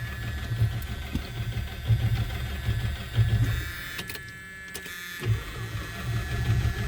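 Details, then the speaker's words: 1976 Chrysler Newport, sitting since about 2012–2013, starting fluid applied, fluids unchecked, Chrysler 4-barrel carb linkage seized: uneven starter churning in short bursts with no firing or catch; cranks well but no start. "Actually turns good. Alright. But no bang."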